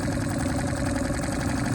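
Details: Suzuki 2.5 HP outboard in the water, back in neutral after a forward gear check: quick, even idle, every beat regular with no knock or stumble; healthy.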